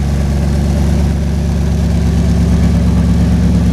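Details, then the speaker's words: 1964 Chevrolet Biscayne with a mild, streetable small-cam engine, four-barrel carb and glass pack mufflers (quieter than Flowmasters). Deep, even, throaty idle burble with no knocks or misses; normal idle. "as you can probably see underneath the glass pack Mufflers does give a nice sound out the exhaust it's very old school as I would call it"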